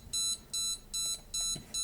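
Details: Custom STM32 drone flight controller (MH-FC V2.2) powered on with FS-i6 transmitter off: short, high, evenly spaced beeps about two and a half per second, repeating; buzzer pattern meaning receiver not connected, waiting for iBus data.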